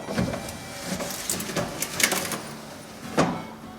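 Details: 1968 Subaru 360 manual wind-up door window being opened: sharp, irregular cracking and snapping noises, cause still unknown as the door trim panel is being removed.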